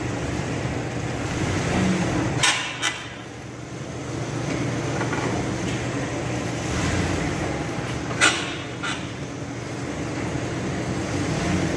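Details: 1998 Ford Ranger XLT pickup driving: sharp metallic clunks in pairs about every six seconds over steady road noise.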